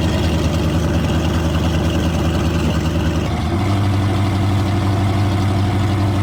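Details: V8 engine on a wrecked deep-sea fishing boat, after $400 of repairs, runs with a steady, even low rumble, no misses or knocks; healthy after repair.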